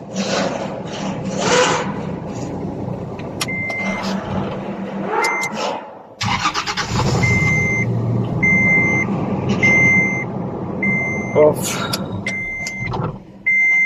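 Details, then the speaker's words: Toyota Land Cruiser LC70 cold start: chimes, then long cranking with no clean catch; hard starting, no start when cold, fuel pump pressure tested good, caused by a dirty MAP sensor, which was cleaned. "This is a hard starting issue. There's a no start when it's cold."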